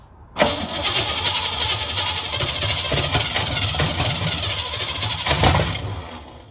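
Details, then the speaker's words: 1985 Mustang GT factory 5.0 (302) V8, 5-speed, first start in 20+ years after timing advanced slightly; short crank, catches right away, settles into even steady idle, no valve-train noise, likely stock cam; healthy engine, little smoke from headers. "A little 302 cranks up and runs. It sounded just fine. I didn't hear any valve train noise from up here."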